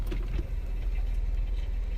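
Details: 2002 Honda Civic LX, BMXA automatic freshly rebuilt with master kit, new torque converter, TransLab shift kit, OEM DW1 fluid: light irregular clatter over low idle in park and neutral, stops in reverse and drive; source unknown, maybe a case bearing.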